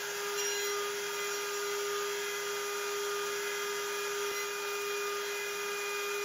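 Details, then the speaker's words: Genmitsu 3030 PROVer MAX desktop CNC milling 6061 aluminum slots with a 1.25HP Makita router (replacing the 300W stock spindle), 200 mm feed, same G-code: steady high router whine and even cutting hiss, vibration gone, smooth milling without chatter. "it sounds much better I can't hear the vibration anymore the cut looks much cleaner"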